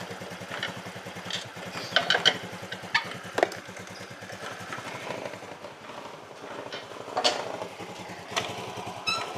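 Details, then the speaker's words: Carbureted Honda Vario that runs inconsistently, uses too much fuel and surges: idle pulses uneven, speed keeps surging and sagging; weak ignition, spark plug found faulty and replaced; unstable idle. "10 kali oke mas bro Saya masih merasakan ada suatu keanehan ya di manana keanehannya adalah kestabilannya ini ya kestabilannya ini ini saya matikan dulu saya cek businya"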